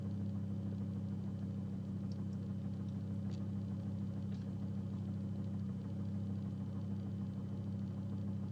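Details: 2005 Volvo S40 T5, random misfire code P0300: steady drone with uneven stumbling beat about every half second; misfiring, cause not pinned down.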